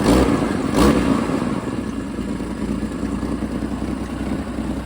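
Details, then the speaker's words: Jeep XJ after replacing a bad fuel injector and tightening loose fuel line clamps that leaked: quick, crisp rev blip dropping back cleanly to a steady idle with no hesitation; good throttle response. "So I tightened those up, and that seems to have solved the problem. So, got the good throttle response."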